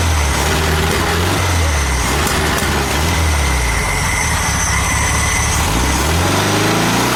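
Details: VW Super Beetle air-cooled engine, cold, just started with a trigger starter after reassembly and an apparently new carburetor: settles into a steady, even idle with a smooth low beat and no misses or knocks. Normal idle.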